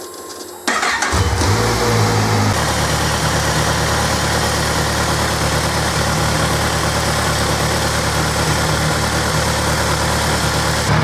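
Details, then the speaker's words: Kawasaki Z1000SX after a coolant change during its four-year service: brief starter crank, then it catches cleanly to a steady idle. Run until the radiator cooling fan cuts in with a constant rushing sound, then switched off. Normal start and idle. "so the fan's now cut in, so all that's left to do, we'll just turn it off."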